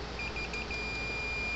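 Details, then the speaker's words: Gallagher M400 electric fencer (110–120 V) shows no power light and no click; a continuity meter across the fuse gives a steady high-pitched beep after a few chirps, so the fuse is good, though the unit still won't light. The capacitor is considered possible but doubted. "no fuse is good hear the meter beeping so fuse is fine but it won't light up"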